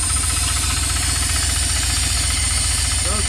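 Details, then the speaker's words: Flood-drowned truck cranked and started, still running rough; a steady, fairly even deep knock about three to four per second from inside the engine, suspected piston or rod knock, not confirmed. "I hear a knocking. Yeah, it is. But what's it knocking on? Sounds like a piston. That's a rod."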